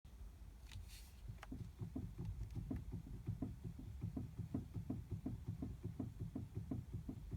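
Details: BMW F30 320, engine off: quiet, dull knock repeating nearly three times a second as the steering wheel is worked; loose steering rack knock.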